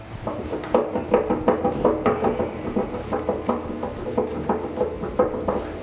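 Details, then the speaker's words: Daughter's mountain bike rear wheel spun by hand: uneven, gritty clicking and rough ticking about two to three a second, raw-sounding hub that had locked up and wobbles; hub bearings are shot. "right free spins you can hear it it sounds pretty raw"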